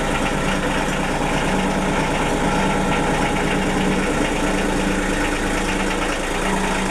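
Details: Denyo DCA-15SS-N genset, 1.6 L 3-cylinder Nissan diesel (18 PS at 1500 rpm), over 30 years old, cold just after first start in years, smoking a little: steady even three-cylinder clatter over a rumble, no misses or knocking; normal idle, no load.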